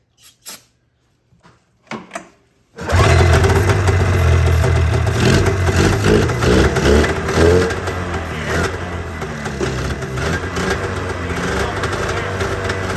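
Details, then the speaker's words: ZL550 snowmobile two-stroke after a no-start fix (it had spark, the problem was fuel): after a few pulls it catches and settles into a steady, crisp run with clean throttle blips, pulling strongly; never ran this well. "yeah it does pull them right up holy cow it's never run like that I'll do it I don't think it's ever ran like that"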